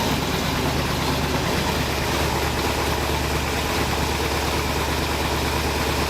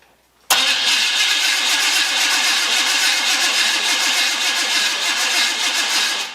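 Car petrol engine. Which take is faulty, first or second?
second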